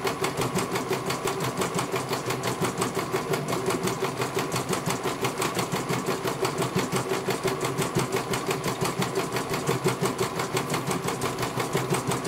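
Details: CNY computer embroidery machine in for service from Banjarnegara, Central Java; fast, even stitching chatter with steady rhythm, no knocks or grinding, one colour finished well. Normal running.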